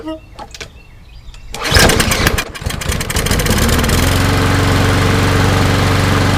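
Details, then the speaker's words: Toro Recycler mower, Briggs & Stratton EX engine, cold first start after flushing water from the gas, possibly residual water: sputtering cranking catches, stumbles, then settles to a steady run; flooded with too much two-cycle oil mix. "see if it'll turn over pop over well too much flooded"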